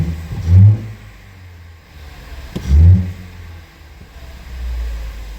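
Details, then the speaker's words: 2016 Ford Flex 2.0L EcoBoost with codes P0012, P0015 and P0017, throttle snap test at idle: hollow, deep whooshing roars that die away fast, a boost leak from a disconnected intercooler pipe. "listen to this I'm not sure how well that transfers over to the cell phone here but you hear how loud that thing is"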